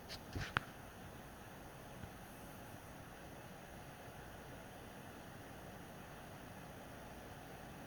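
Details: PS4 Pro, first-gen 7015B with copper shim and new pads on south bridge and HDMI-area chip vs dust-cleaned third-gen 7215B; during regular gameplay after a taxing cutscene, fan noise drops a lot; faint even hiss, no roar or surging: normal quiet fan.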